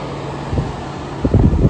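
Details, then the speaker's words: 1994 EQK-rebadged Fedders A2Q10F2BG 10,000 BTU air conditioner, trash find in working order, Rotorex rotary compressor heard up close: fan hum, then the compressor kicks in with soft thumps and runs quietly and evenly; normal startup. "Without further ado, let's hear that Rotorex rotary. Let's hear it starting up."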